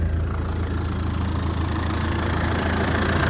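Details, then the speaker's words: 1995 Land Rover Defender 110 300Tdi diesel, 119,000 miles, idling just after start-up: steady, even low diesel clatter with no squeal or irregular knock and no squeaks from the belt or pulleys; runs smooth and healthy. "Engine running very smooth. No squeaks out of the belt or pulleys."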